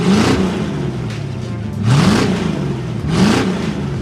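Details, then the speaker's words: 1989 Ford Mustang GT V8 revved after new fuel system: deep rumble climbs cleanly through three quick blips and settles smoothly, no misses or knocks; running like a dream, normal revving. "yeah essentially this thing is running like an absolute dream"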